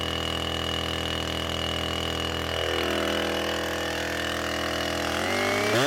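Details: Husqvarna 455 Rancher chainsaw after an ignition coil replacement, which cured rough running after warm-up: a steady, even high-pitched buzz, then revs climb cleanly; it ran a full tank without stumbling.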